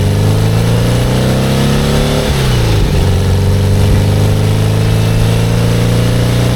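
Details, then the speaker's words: 57-year-old VW Bus after a cold start, fitted with a new Vintage Speed exhaust replacing one whose tailpipe fell off; steady low exhaust drone, pitch dropping on gear changes, running better and slightly quieter than standard. "So, that was a cold start and as you can hear, is running a lot better. And that exhaust, I think it sounds a little bit quieter than standard."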